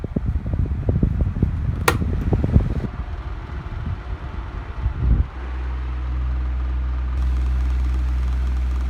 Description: The bearings are a bit rattly on speed 2 but after a few minutes, the rattling stops. The motor also hums, especially when it's been on all day.